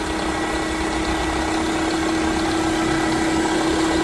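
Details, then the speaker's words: 2011 Toyota Camry, loud whining under the hood every time the car starts, steady mid-pitched whine over smooth petrol idle with vibration; rusty alternator pulley bearing suspected, alternator replaced. "I think it's the bearing. See that bearing right there? On the alternator bearing? See that pulley? It's rusty. You gotta be the bearing right there."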